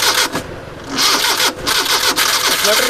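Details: Suzuki Mehran that wouldn't start after an engine wash because water got into the ignition and weakened the current. After a direct connection to get current, a few uneven cranking bursts, then it catches and settles into a steady idle.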